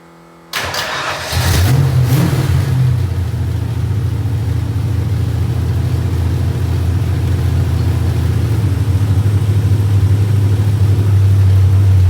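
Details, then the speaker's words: Carbureted Mustang at first start-up after fixing an intake hole and adjusting the carburetor: a loud, ragged low idle with a raw puffing exhaust note. It runs extremely rich and needs re-jetting; exhaust leak and rich running. "there it is guys minus the horrible exhaust week she's running good"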